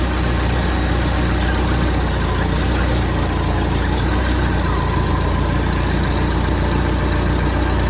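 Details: Hyster forklift's Mazda FE engine after a head job, valve lash set to the cold spec of .008" exhaust and .010" intake. Low, steady idle with an even rumble and no ticks or knocks over eight seconds. Normal idle.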